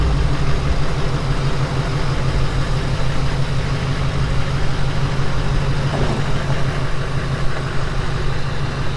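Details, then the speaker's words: Replacement Duramax LMM diesel right after first start following engine swap, fresh oil and filter, coolant filled, fuel primed: smooth, steady clatter with even rhythm, no odd knocks; idles healthy. "There she is, guys. She's running."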